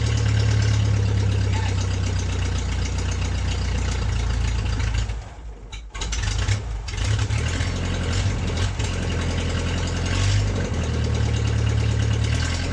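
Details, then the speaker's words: MG's first start in 22 years, after new ignition switch, spark plug wires, starter relay and gas fed straight to the carburetor; choke stuck: steady, low, even idle dips briefly once midway, then settles back to a smooth regular run; engine healthy. "So the engine ran smoothly after that."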